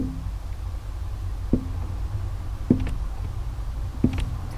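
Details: 2012 Vauxhall Insignia 2.0 CDTI 160 diesel: three sharp single knocks over a low diesel hum, each a clunk right at the end of clutch release, also felt through the pedal.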